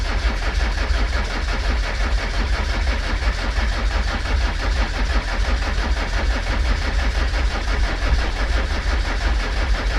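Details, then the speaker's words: Land Rover Discovery 300Tdi Copart salvage purchase after long storage, jump-started with stop solenoid held on: steady, even low diesel clatter running on its own; normal running. "oh right it runs so let's see if this works"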